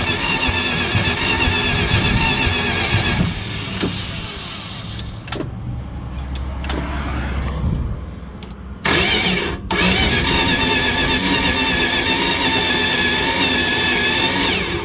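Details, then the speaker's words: Dodge 318 cranks briskly at about three beats a second with uneven puffs but won't start despite spark and fuel; air or exhaust pushing back out of the carburetor, owner suspects something catastrophic; parts swapped without success. "well we got spark we got fire the thing turns over but won't start you can hear it pushing air the wrong way out of the intake out of the carburetor so that's not a good sign"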